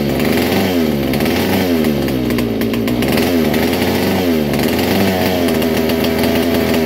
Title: vintage kart. All original 1961 Fox Kart, McCullough Mac 91. First start in years